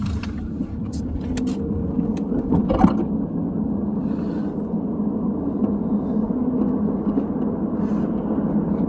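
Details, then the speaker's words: 2001 Chrysler 300M on the road with new complete Quick Strut assemblies: passenger-side strut heard quiet, steady road and engine rumble with no clunks or squeaks, unlike the noisy driver side. "all right pass side sounds pretty good quiet here"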